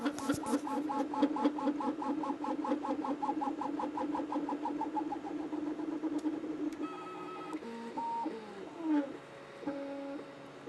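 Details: Anycubic Kobra 2 3D printer printing a fast first layer: quick chirping stepper tones and rattly buzz, with the cheap injection-molded base resonating and amplifying motion noise, louder as print speed rises.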